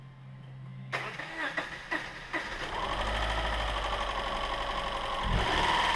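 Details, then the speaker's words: Subaru 2.5 SOHC interference engine after a broken timing belt and shattered driver-side cam pulley, new belt fitted, test-run briefly without cooling system: cranking pulses, catches, settles into a smooth even idle; no misfire, valves apparently undamaged. "Well, there you have it, guys. A pretty smooth running little engine."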